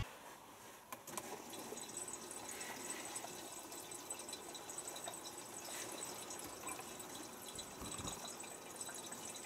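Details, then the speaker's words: Miele Softtronic W487WPS 1800rpm washing machine, nearly three years old, filling through its single water inlet. Water rushes in immediately after start with a faint inlet valve buzz; a normal fill. "I have been pressing the start button instantly puts water in front door and you will hear that buzzing so it only has one water inlet and it uses a little motor I suppose on the back to change what compartments gonna fill"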